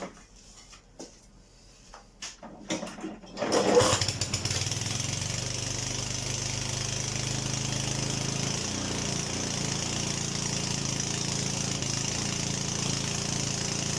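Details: Honda HRD536 lawnmower petrol engine after drive clutch plate replacement and spark plug lead refitted: a few quiet clicks, then it catches and settles into an even steady run with no misses or knocks.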